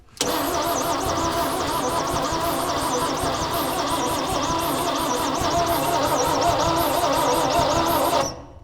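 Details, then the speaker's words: 1965 Chevy rollback with rusted cylinders and weak compression, high whistle rising and falling with each cranking stroke; suspected head gasket blown between cylinders or blowby. "It ran, just didn't have a lot of power, but it the head gasket was blown between the cylinders."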